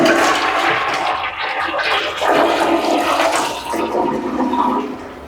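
Strong rushing flush drains away smoothly and tails off into a quiet refill, no gurgling or hissing; the toilet is flushing normally.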